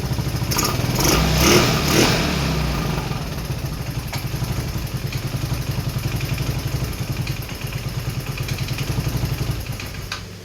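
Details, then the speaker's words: Rebuilt 150cc GY6 engine in RZR170-clone UTV, cold day, started with starting fluid and jump from truck, exhaust off: uneven lumpy beat about two per second with sputtering edge; runs rough, blow-by clearing, cause not pinned down. "It runs, it runs. We're going to do the exhaust off, but it runs. Not too happy about it."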